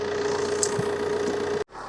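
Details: 15-year-old 2009 Vauxhall/Opel Insignia diesel with 147,000 miles, idling while warming toward operating temperature during a coolant flush, air con on hot: even clatter and constant hum, no misses or surges, healthy idle.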